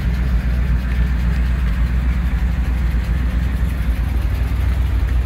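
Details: 1959 Chevrolet Apache 3100 pickup, first run after 20+ years sitting, with a fuel leak noted: deep steady low rumble with an even beat and no knocks or odd noises; V8 settling into normal idle.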